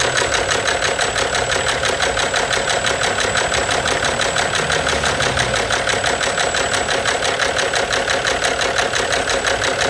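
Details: Abnormal engine knock: a sharp, even knocking at about three per second rides steadily over the idle.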